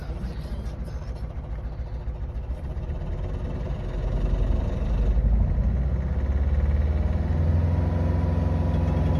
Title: Vauxhall Astra j rough idle lose of power